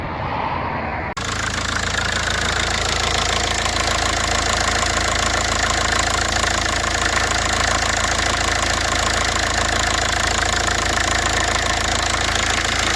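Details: VW Polo 9N diesel after replacing the G81 fuel temperature sensor (P0183 implausible signal, no start or bad start, power loss): engine catches after a moment and settles into an even clatter that holds steady with no stumbles; normal healthy idle.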